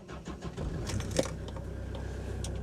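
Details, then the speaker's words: 21-year-old Hyundai Terracan diesel: a key rattle, then a short crank that catches quickly into a steady, even idle; normal start. "Well, it sounds all right."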